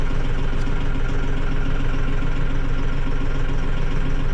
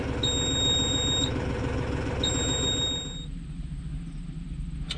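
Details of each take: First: Mahindra 6065 tractor diesel after service reminder reset: steady even idle with regular low thrum and no alarm beeping; running normally. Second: Mahindra 6065 tractor, at about six hours, past the five hours when it was rumored to stop: two long high beeps two seconds apart over a low engine rumble; service-due reminder alarm still sounding before reset.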